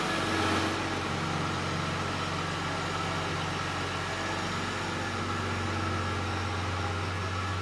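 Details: Aston Martin DB7 after new rear muffler ends were fitted, lowered and started: a smooth deep even burble holds steady with no ticks, knocks or rattles; normal idle with a sound exhaust.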